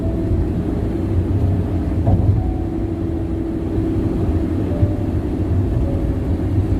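Constant low droning roar at cruising speed with no rhythmic knock or whine on top, just heavy tire noise from the road surface. Cause suspected, not confirmed.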